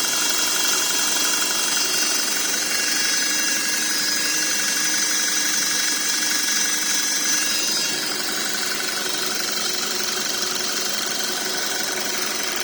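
Thin steady high-pitched whine sits above a quiet engine hum throughout, pointing to a whining gearbox of unknown cause.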